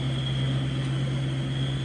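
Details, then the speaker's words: LBZ Duramax truck driving after lower control arm replacement: steady low drone, constant tone, no rattles or clunks; front-end rattle and squeak gone, feels tighter. "I don't have any funny noises coming from the front end. That's a plus."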